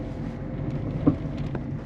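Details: 2008 Peugeot 207 1.4 turbo diesel, 5-speed manual, driving over holes: a dull front suspension clunk. Suspected lower ball joint, sway bar links or control arm bushings; the cause is not yet found.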